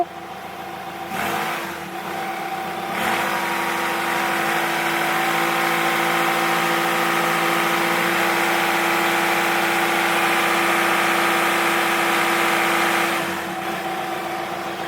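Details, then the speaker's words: Skoda Octavia vRS turbo petrol at idle, clutch pressed to silence thrust bearing knock, with suspected boost leak and turbo issue: steady low hum under idle note; cause unknown. "i've just had the car running there and it's got this strange humming noise and i don't know what's causing it it's frustrating"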